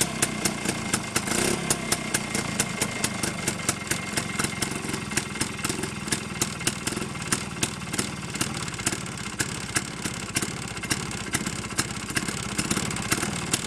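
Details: Villiers 9E 197cc single-cylinder two-stroke engine with four-speed gearbox and reversible starter-generator, on a temporary fuel tank, running in forward rotation: steady, even idle with a quick regular pulse and no knocks or misses; healthy.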